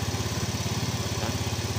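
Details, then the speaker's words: Yamaha Fino 125 that stutters at low revs and lacks power from mid-range up, at first start before diagnosis: fast, even putter noticeably above normal idle, steady, no surging; idle speed too high. "Oke ya, untuk nyala standar seperti biasanya ya, tapi di sini terdengar RPM nih sedikit ada lumayan tinggi."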